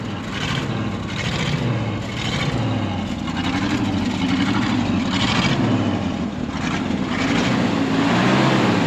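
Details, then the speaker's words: 1974 Ford F600 gasoline dump truck after sitting two years on two-year-old gas, smokes a little; big engine revs up and settles back smoothly with no knocks or misses: healthy engine revving. "I know it smokes a little bit but heck it's almost unempty in two years twoyear old gas sucker is running pretty good running really"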